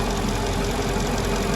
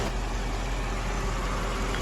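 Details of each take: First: 2002 Mercedes-Benz CLK 430 AMG V8 idling after new spark plugs: steady airy hiss over low rumble from a dry-rotted, leaking vacuum hose. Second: 2002 Mercedes CLK430 AMG petrol V8 after repairs for cylinder 3, 1 and 5 misfire codes: steady even low idle rumble, no stumble; a dry-rotted vacuum hose causing hissing still to fix.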